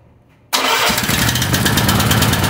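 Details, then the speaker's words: Gasoline engine started after accidental diesel mix-up, fuel drained and refilled with fresh gas, carburetor not disassembled so diesel remnants may remain; fires immediately and settles into a quick, steady, even idle, smoking slightly; normal start and idle. "Wow, I didn't expect it to start right away. You can see it's smoking a little bit."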